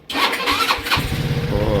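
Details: Rusi RFI 175 motorcycle with hard starting despite a new battery: starter whirs briefly, then the engine catches and settles into a rapid uneven putter; slow to fire up.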